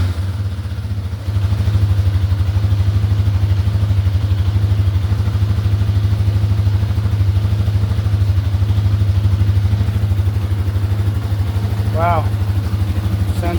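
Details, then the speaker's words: 1988 Yamaha Warrior 350 after restoration, just started with choke: steady even single-cylinder thump about three firings a second, no valve tick or knock, a little smoke from oil burning off; healthy idle. "really good. No valve tick. Got a little smoke coming off the exhaust cuz I little oil burning off. But wow, sounds really good."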